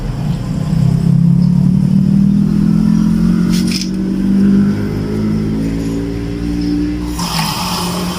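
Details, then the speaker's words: Water pump motor after a temporary repair with a replacement capacitor, restarted after cutoff: firm steady hum rising as pressure builds to maximum, then running evenly; normal operation. "ตัดเสร็จแล้วเปิดใหม่นะครับเพราะไม่ทำงานเลยก็จะมีเสียงดังแป๊บนึงอันนี้คือมันอัดเต็มที่แล้วครับ"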